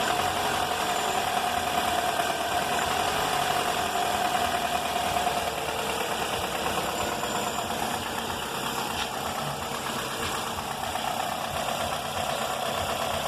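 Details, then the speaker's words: 2004 Toyota Corolla at idle, noise began before an engine rebuild (pistons, timing chain, tensioner, valves, VVT replaced) and persists, on 15W-30 oil (15W-40 didn't help): light uneven ticking knock at constant rate, rising with throttle; source unidentified. "esse barulho começou antes de fazer o motor fiz um motor do carro barulho contínuo pode ver que ele aumenta e diminui quando acelera"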